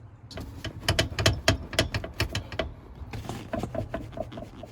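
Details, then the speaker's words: Jeep TJ passenger tumble seat after installing 3D printed replacement bushing parts: wiggling the seat gives only light plastic clicks and taps, no metal-on-metal clank; rattle much reduced. "yep the seat still wiggles and you still hear that noise but it is not making that metal on metal contact like it was before"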